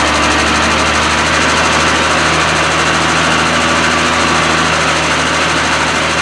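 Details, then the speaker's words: Triumph TR6 six-cylinder warming up just after a cold start following winter storage: even, steady running with a firm low thrum and no knocks or misses; normal idle. "it looks like it survived it's winter rest okay just got a warming up"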